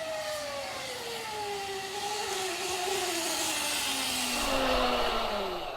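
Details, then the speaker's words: 72V Sur-Ron electric bike with new GritShift primary chain conversion, chain bone dry: loud layered whine rising and falling with revs, almost deafening. Dry primary chain whine. "oh my god listen to it wine i don't think it's supposed to sound that [ __ ] loud it's also dry as a bone"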